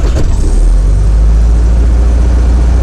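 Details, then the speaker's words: 1972 VW Karmann Ghia air-cooled flat-four, cold start before test drive, pump and key: brief crank, catches immediately, strong steady low rumble with no misses or knocks; normal cold start. "Let's do a cold start. See what she sounds like. Pump and key turn, both lights, so that's good."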